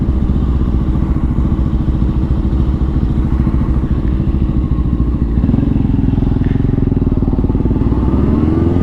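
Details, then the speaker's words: 2004 Honda CBR600RR after a new throttle cable and levers, accelerating up a freeway on-ramp to test whether it now revs past 13,000 rpm. Strong, even pull with smoothly climbing pitch and no hesitation; normal acceleration, and the old cable was the problem. "Back in business. We're back in business. We're making power now."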